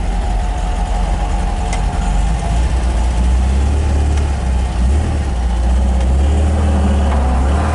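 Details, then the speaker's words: 1967 MGB GT with engine rebuilt in 2020, electric fuel pump, 12-volt conversion, just started. A low, steady four-cylinder burble with no knocks or misses: normal idle. "starts right up like all english cars it runs better when it's warmed up"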